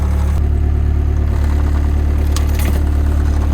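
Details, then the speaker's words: Kubota diesel machine with 4,000-hour service due: fires at once and settles into a deep, steady, even idle with no knocks or misses; ticks over nicely. "Right, let's see if it'll start then. 4,000 hour service due. Oh, straight away. Kubotas don't need clean filters."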